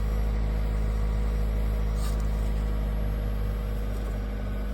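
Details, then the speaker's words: 1997 Honda CR-V, crank no start on a hot Arizona roadside, fuel pump now buzzing and building pressure after repeated key cycles: smooth even low idle, no misses, knocks or rattles; engine running normally. "Moment of truth. The car is now running. Car is running."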